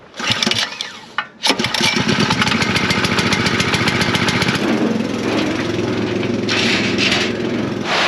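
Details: New small engine on a farm sprayer in cold weather, choke on, fuel open: a brief crank, then it catches and settles into a quick, even buzzing run with no misses; normal cold start and run.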